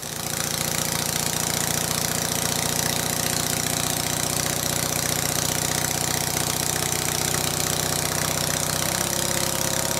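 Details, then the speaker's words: Stuart Sirius steam engine (green), warm, speed increased: fast busy clatter with loud knock each stroke, far noisier than the red engine; owner suspects valve timing slightly off. "both of these engines make a slightly different noise for a couple of reasons the green one is quite warm and my ear tells me that the valve timing is slightly on the green one"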